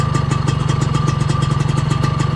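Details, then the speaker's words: Suzuki RGV120 two-stroke, full-race clutch, AHM exhaust, after clutch-slip repair with correct clutch pin and original clutch lever: quick even idle pops, no extra rattle whether clutch pulled or released; earlier noise gone. "nggak ada perbedaan suara ya kan. Oh sekarang udah aman karena pantekan koplingnya udah benar dan kaki koplingnya juga udah ori, makanya dia udah enak guys."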